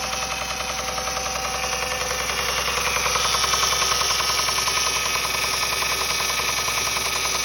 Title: What is the knocking noise? The timing belt tensioner is tight and has not failed. 07 Accord 257K mi